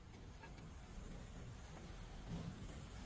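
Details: GMC front wheel bearing, likely after replacement: steady low road rumble while driving, no growl or hum rising with speed; bearing sounds quiet and healthy.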